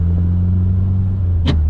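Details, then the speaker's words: Eclipse (4G63) manual transmission, worst in second and third, with a harsh rasp over the engine drone as a gear goes in; new shifter bushings and shifter cable and clutch pedal adjustment did not fix it; transmission later replaced. "If either one of those things isn't adjusted correctly, you know, if the cables aren't pulling the levers in the right way, or if the clutch isn't fully disengaging, then it can grind."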